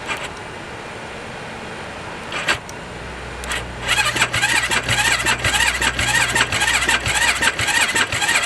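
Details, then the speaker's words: 2007 Yamaha YFZ 450 single-cylinder quad as bought, air filter torn and disconnected, battery on charger: starter cranks in repeated even bursts but never fires; crank no start, cause not confirmed, solenoid to be diagnosed next. "Yeah, she's not gonna start. It's gonna need a good gone through before we can even attempt to start this thing."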